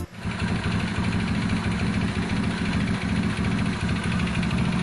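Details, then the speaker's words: Mio Sporty scooter before repair: loud rough idle with a dense low rattling knock under every turn, from a worn crankshaft connecting rod bearing; very noisy. "ayan, kung maririnig natin talaga sobrang ingay."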